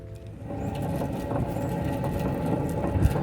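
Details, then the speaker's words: 2004 Lexus LX470 driver-side front with the flange removed, hub turned by hand: rough low growling rumble plus whistling and howling that build with speed, with visible play; a worn-out front wheel bearing. "you hear how it's growling first of all it's growling right and then plus the growling there's also the whistling and like howling noise"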